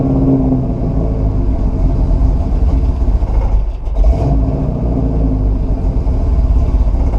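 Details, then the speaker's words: 1969 Buick Special Deluxe that won't stay running, after carburetor rebuild and idle mixture adjustment, while moving the distributor to set timing: deep, steady V8 rumble at idle with a slightly uneven beat underneath; still idling a bit rough. "Okay. That doesn't sound good. Okay. Let's go a little baby bit more."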